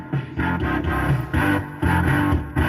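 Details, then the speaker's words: Maygays Italian Job arcade machine, running about 4 hours with door closed, on a replacement game card: choppy repeating musical bursts with a droning tone looping every half second; sound output garbled while gameplay is fine, cause unknown. "funny thing is though the game play is fine it's just the sounds completely screwed up almost sounds like the alarm Line's jammed on"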